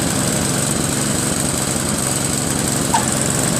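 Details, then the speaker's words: Craftsman 522 snowblower with Tecumseh engine, after tightening the auger belt: small engine pulls a steady, even load with no slipping or squeal; immediate, normal auger engagement. "Yep, that's the sound, see? That's the sound you want for immediate engagement of the auger."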